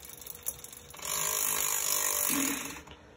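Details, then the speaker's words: SRAM GX Eagle 10-50t cassette clicking intermittently in one gear: a tooth contacts the chain's outer link; grinding the inside of that tooth removes the click. "do you also have a 10 250 GX Eagle cassette that makes that clicking noise on one gear have you ever thought what could be causing it"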